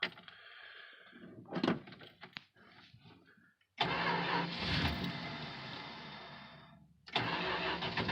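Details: 1968 Plymouth Fury III, original 318 two-barrel V8, almost 76,000 miles, cold start: long weak uneven cranking, catches, runs briefly, cuts and restarts; hard cold start, fuel delivery suspected, owner blames poor two-barrel carb.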